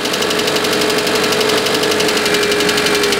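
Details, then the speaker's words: Petrol engine first started after head gasket replacement, idling cold: fast, light ticking from hydraulic lifters not yet filled with oil, expected to fade as they fill. "t ça fait un peu ce bruit là au début au fil du temps ça va ça va se remplir d'huile et ça va disparaître"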